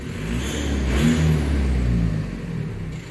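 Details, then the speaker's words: VW 1.9L PD BEW TDI in converted Toyota FJ Cruiser after worn camshaft replacement and 2000 rpm cam break-in; quick rev then settles, clean even clatter, no valvetrain ticking or knocking, sounds healthy; normal running. "sounds pretty healthy though"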